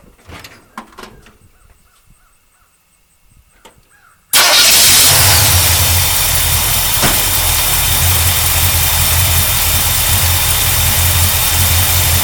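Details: 1972 GMC Sierra Grande with newly installed replacement V8, run again after a leaking transmission line fitting was found: handling noises, then fires and settles into a steady, even rumble, no knocks or misfires; healthy.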